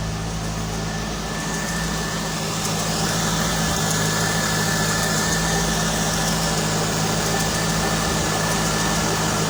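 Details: 2001 Corvette V8 with about 45k miles ticking on cold startup: regular light tick about three per second at idle; owner suspects piston slap or pulleys, unconfirmed.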